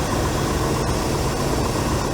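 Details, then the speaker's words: 1997 Chevy C1500 pickup that sat about 8 years, idling after start-up following electrical repairs with zero codes; a low steady rumble with slight hiss and no knocks or stumbles: a normal idle. "all right cool fireing the hole listen to that baby I'm buring look's good so"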